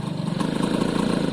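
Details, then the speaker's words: Suzuki AP50 two-stroke, held at half throttle: buzz with faint wavering pulse, not overly happy; owner suspects pilot/idle or main jet and plans to check jetting on the second carb. "it's half that's not overly happy half throttle is idle jet"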